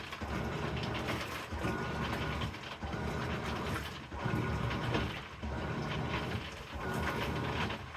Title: Crackling noise when Amana washer agitates